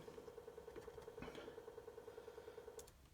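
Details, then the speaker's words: GTO race car, boost control solenoid under ECU output test after rewiring the missing auxiliary output 4 pin: quiet, rapid buzzy ticking at roughly ten a second, then it stops; the solenoid clicks normally. "now i don't know if you can hear that or not but that's my boost control solenoid clicking away"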